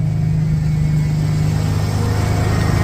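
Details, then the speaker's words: 1991 Ford Bronco during restoration, after timing set: idle was low, but after a rev it hangs up fast and won't drop; owner doubts timing, suspects a vacuum leak, maybe the throttle body gasket; unplugging the idle air control valve drops it way down. "the idle I had the idle way down where I liked it and then I kind of revved it and it's come back up"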